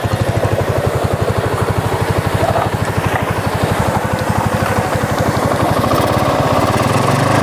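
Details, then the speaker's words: Honda GL Pro after replacing stretched, worn cam chain, running without air filter: crisp regular exhaust pulses rising with throttle, slightly raw but no top-end rattle or clatter; previous rough noise gone, normal revving. "sangat halus sekali mas jadi di sini awalnya itu memang kasar sekali ya karena di sini rantai ketengnya ya atau rantai kamar di bagian mesin ini sudah molor alias sudah tua sehingga Tadi suaranya kasar dan setelah penggantian di sini sudah halus"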